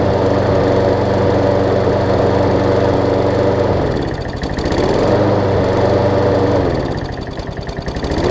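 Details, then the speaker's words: John Deere JA62 push mower, about 15 years old, Briggs OHV engine, gummed carb from sitting: single-cylinder runs steady then sags and recovers twice in eight seconds; speed hunting surge. "i'm just gonna let it run for a little while see if it smooths out if it smooths out i'm gonna change the oil and up and let it sit overnight"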